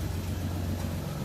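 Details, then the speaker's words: 1960 DKW three-cylinder two-stroke, just restarted after gasket work: soft, even low rumble idling smoothly and steadily with no knocks or misses. The owner believes the valves self-cleaned and expects about 120 psi compression across all cylinders. Normal idle. "Oh yeah. Listen to that baby purr."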